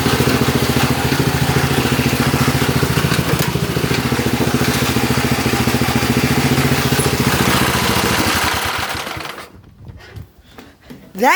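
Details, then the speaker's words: Lawn tractor small single-cylinder, cold start: running with a quick, even chattering scrape riding over the exhaust until shutdown; the cooling fan broke off inside and rubs on the plastic shroud. "that's the cooling fan it broke off inside so I don't know why so that's why it's making that sound when it's running"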